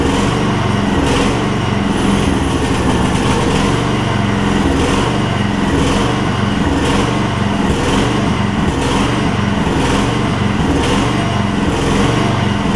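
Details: Gravely 16 Professional walk-behind, single-cylinder with mechanical fuel pump, first start on camera after sitting and fuel-delivery troubleshooting, choke up: steady even beat, no misses or knocks, running cleanly.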